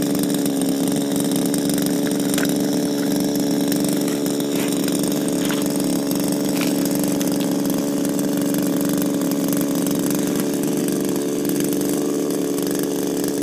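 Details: Refurbished Shindaiwa power broom with new carburetor, gaskets and recoil, running without air filter: steady high two-stroke buzz at an even pitch, no surging or misfires. Smooth, healthy running after the rebuild.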